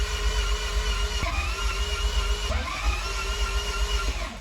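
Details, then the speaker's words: MR2 after manual conversion: the starter whirs and cycles for seconds with no firing catch; the ECU flashed code 14, igniter assembly, and the igniter connector was found unplugged; crank no start from unplugged igniter connector. "So the ECU actually started flashing code 14, and it's the igniter assembly, and I go to it and there's actually missing a plug."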